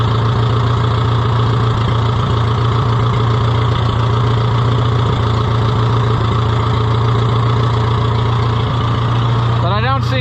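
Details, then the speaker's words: Revived Oliver 66 tractor running again; owner thinks the carburettor needs cleaning. Low, heavy idle with a slightly uneven loping beat around three per second: uneven idle. "let's hear it run one more time I think my carburetor needs a little cleaning it's not quite quite right"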